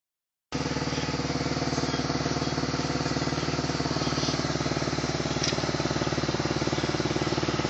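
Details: BMW E46 330Ci at steady idle: fast even puff-like tick about four per second over the engine note; exhaust leak suspected, not confirmed.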